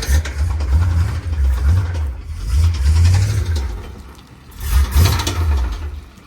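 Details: Square body Chevy dump truck with small-block V8, oil found about 3/4 low and topped up before starting: rough low rumble that surges and sags with a dull knock underneath as it struggles to run, then dies; cause unclear, possibly bottom end.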